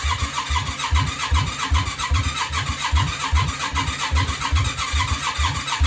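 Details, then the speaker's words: Yamaha Virago 535 project bike cranks with a steady starter chug about two and a half beats a second but never catches; won't start, cause unconfirmed, compression test planned. "what is wrong with you I don't understand it's not working people we're pretty much exactly the same position we was in"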